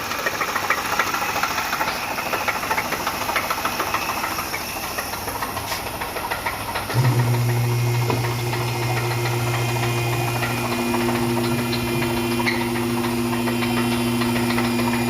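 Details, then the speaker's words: 3.8 liter supercharged Pontiac idling: a deep, steady knock from the bottom end, about three to four a second, a rod knock; the engine later would not turn over on restart. "we got a 3.8 liter supercharged ponia you know what that noise is sound of a rod knock"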